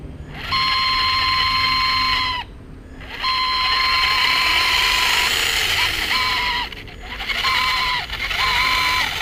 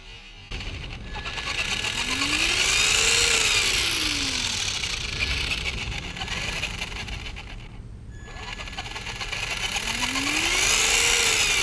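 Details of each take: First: Traxxas Slash 2WD 550 12-turn brushed motor running in four bursts: a piercing, steady high-pitched squeal riding over its hum, before the squeak fix. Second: Traxxas Slash 2WD 550 12-turn brushed motor running after a squeak fix; clean electric whine rising and falling smoothly with throttle, no squeak or chatter; healthy brushed motor run.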